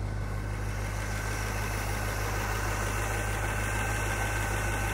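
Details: 1975 International Harvester Scout II, stock 345 V8: steady, even low rumble with no misses, knocks or ticks, rhythm constant; a healthy idle.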